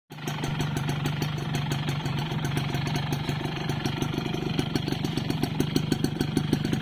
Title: Piston slap, yamaha force1 2 stroke